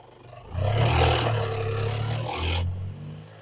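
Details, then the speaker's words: 1993 Dodge Stealth RT (Mitsubishi 3000GT) V6 bought at tow auction, running after throttle body cleaning: harsh metallic clatter loudest as revs rise; initially blamed on old lifters, but traced to timing belt area, suspected belt slapping or tensioner bouncing. "it's not the lifters that are making the noise, it's the timing belt area. So I'm sure either timing belts smacking that thing, smacking around in there, or the tensioners bouncing around in there."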